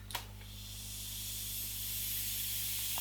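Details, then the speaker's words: Wells G55 (MP5K) gel blaster gas magazine being filled with gas; sharp click then steady building hiss as gas escapes from the center seam; gas leak at magazine seam. "fill this up with gas oh you can hear it here leaking out from that center there"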